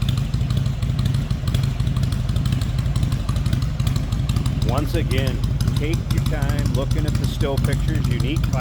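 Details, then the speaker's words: 1999 Harley-Davidson Heritage Springer, 22,896 miles, stock pipes with welded-on fishtail tips, in neutral: deep, loping V-twin idle about two beats a second, steady and even, no knocks or misses; healthy normal idle. "Some of the best things about this bike is the way it sounds. I absolutely love the sound of this bike."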